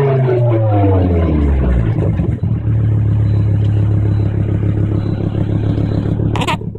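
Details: Volvo V70 T5 exhaust leak, welded up a year ago and now badly reopened: revs drop to a deep, chuffing idle with a loud raw blow and rattly puffing over the engine note. Exhaust leak.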